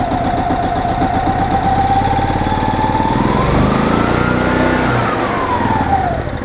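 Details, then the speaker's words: 2005 Club Car Precedent gas golf cart, stored then parked, intermittent start; cranked at full throttle with choke fully in, runs on choke but speed sags and dies when choke released; suspected blocked carburetor or poor fuel flow despite fairly new fuel pump. "then I let go of it all the way you can see how it dies right out so that tells me we have a blocked carburetor or we're not getting good fuel flow"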